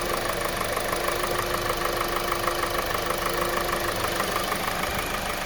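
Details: 2020 Kia Soul 2.0L petrol at 20k miles, serviced every 5k: idle with a steady hollow knock about three a second; piston slap blamed on faulty piston rings, eventually ending in complete engine failure and warranty engine replacement.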